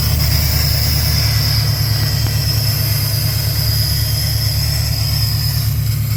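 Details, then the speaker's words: 1979 AMC AMX that left the owner stranded. Loud, deep, steady rumble with a faint high whistle over it; the idle sounds off, and a large vacuum leak is suspected. "sounds like it's got a gigantic vacuum leak if nothing runs on vacuum probably fine get back to the shop"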